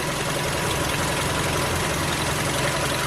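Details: Diesel minicamper in Morocco, at idle: a dense, uneven clatter over a loud idle at about four beats a second. The rattle can't be located and keeps getting worse; the cause is unconfirmed.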